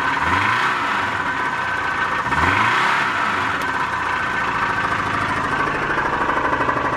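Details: 1992 Subaru that was driven very low on oil, still not showing on the dipstick after 1.5 quarts added: two quick revs, then fast loose knocking that follows engine speed at idle, with no colored smoke; engine knock, suspected bent pushrod, not confirmed.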